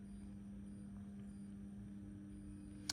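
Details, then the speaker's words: ESBE MBA132 3-port diverter valve with an MBA100 actuator, plugged into 230 V with live and neutral only. A quiet, steady low hum with no clicks or grinding as the head rotates smoothly: normal actuator motor hum. "If I plug it in, you can hear the head humming away, and you can see that starting to rotate."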